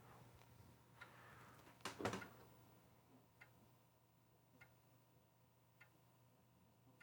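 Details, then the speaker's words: Atari STf floppy drive during a disk test: faint, sharp, regular ticks about every second as the head slowly steps toward track 40. It then seems to hit the end, so the test is suspected stuck or failed. "Well, see that seems to be doing something. I mean, it's ticking along. I'm assuming that's the head slowly moving up to track 40."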